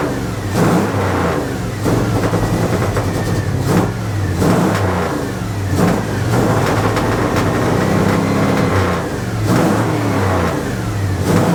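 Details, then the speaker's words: 1980 Dodge W200, Magnum 5.9L V8 with Holley 600 cfm 4-barrel, cold, choke wired open: repeated blips from idle, each rev thick and blubbery, fully rich from wrong jetting and a 9.5 power valve opening too early. "that's terrible that's like full Rich what is going on with this thing why in the world"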